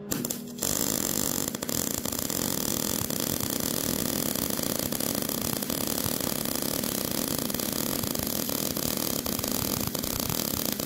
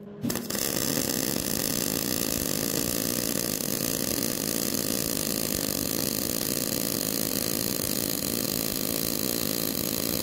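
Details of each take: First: Old Miller MIG welder, voltage unchanged, 20 cfh gas, wire feed at setting 60: harsh crackling arc with frequent sharp pops, spit and sputter, because the wire feed speed is too slow. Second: MIG welder at wire feed speed 70 with voltage and 20 cfh gas unchanged: a steady, even arc crackle for about fifteen seconds with little popping, smoother than at 60; wire feed well matched.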